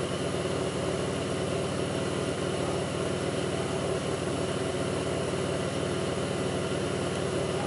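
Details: 2002 Pontiac Grand Prix 3800 V6 at idle, no check-engine light, alternator overheating; faint intermittent thumping pulls the idle down. Loud engine with a choppy, uneven low pulse and irregular thumps: rough idle, cause unconfirmed.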